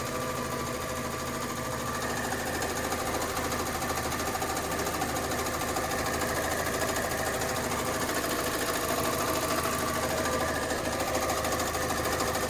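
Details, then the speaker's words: Fiat 500 with about 48,924 miles at idle: steady light tapping, roughly three taps per second, that changes when the clutch is pushed down, pointing to a worn clutch thrust (release) bearing. "if you push the clutch down, you hear that? So that, guys, is the thrust bearing"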